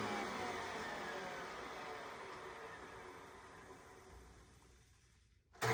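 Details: Hoover Decade Soft & Light Elite vacuum owned since May 2024, with new 20-bladed fan impeller replacing the 7-bladed one and greased bearings: smooth high even whir winding down steadily, no rattle or scraping; quieter but still slightly loud, normal running.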